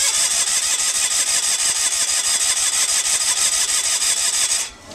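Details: John Deere 316 mower at a farm auction, said to have run before: even starter churning at about three beats a second with no firing, then stops; cranks but won't start.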